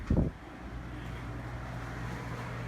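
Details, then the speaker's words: Central air HVAC blower after replacing fan motor and capacitor and matching reversing wires: one thump at start, then quiet even low hum, no rubbing or rattle; blower running normally. "i think i hear it blowing now oh yeah i feel it yep feels just like it did before"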